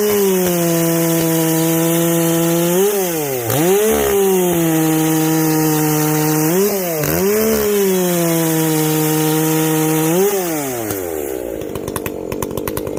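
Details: Echo CS-590 chainsaw after a carb mod with limiters removed, high and low jets richened, exhaust opened up; steady high scream that sags as the chain bites and snaps back when freed; not running hot, owner guesses it hits the coil rev limit.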